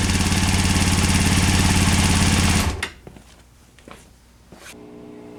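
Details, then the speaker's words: 1998 Honda CBR after carb rebuild, new spark plugs and K&N air filter: lumpy steady firing for a few seconds, then chokes and dies when the throttle is blipped; bogging, owner suspects vacuum, cause unclear. "the bike runs it starts just when you do the throttle blip it just chokes out might be vacuum"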